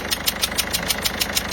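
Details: Peugeot 207 HDi diesel at idle, cylinder 1 injector seal leaking, to be replaced: sharp even ticking about six times a second; leak can contaminate oil feed and damage turbo.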